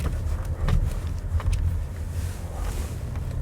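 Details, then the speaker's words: Lexus ES350 with 275,000 miles, used-car inspection test drive deliberately over bumps: dull tyre thumps and low road rumble, no clunks, knocks or rattles from front end or steering; only loose item rolling inside; suspension normal. "This sounds almost perfect. The only noise you're hearing is something rolling around in here."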